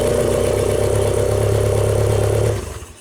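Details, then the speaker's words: Old Genie boom lift engine starts and idles steadily for about three seconds, then abruptly loses power and fades out as ignition coil feed cuts; suspected main relay or control-side fault, not yet confirmed. "it just cuts power to the ignition coil Cuts power to everything actually so it's a main relay you know whatever controls that that's where uh we're going to focus our search"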